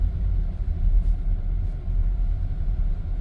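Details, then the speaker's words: Volvo XC90 after replacing inner and outer tie rods on the driver-side front, previous clunk at low speed over uneven pavement; driving over a bumpy area gives low steady road rumble with no clunks. "and no more clunking noise think everything is fixed so far"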